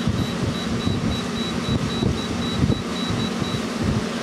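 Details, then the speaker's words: LG 12,000 BTU 220-volt AC/heat unit set to 74 in heat, about 43 degrees outside: steady whooshing fan, low hum, faint high tick; normal fan running. "Okay, the compressor's just kicked on."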